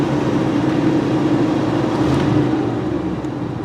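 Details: 1985 Buick Riviera, factory Olds 307 roller-lifter V8 with computer-controlled Quadrajet carburetor, cold start on high idle: smooth, even idle with a steady low hum, no knocks or stumbles, speed settling slightly toward the end; healthy.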